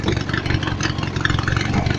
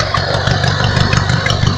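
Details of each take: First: Small single-cylinder lawnmower engine driving an add-on alternator under electrical load holds a steady even beat with no bogging or speed sag; owner notes only slight, barely noticeable power loss, normal running under load. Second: Lawnmower engine newly fitted with an alternator on a makeshift string belt, no load yet, revved slightly: uneven idle with an odd rapid ticking and whirring; owner suspects a wrong setup, source unclear.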